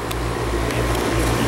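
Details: New AC condensing unit, bracket-mounted off the ground and not touching the wall, installed during an oil-to-gas conversion; smooth, steady low hum with an even fan whoosh, no rattles or buzzing; running normally.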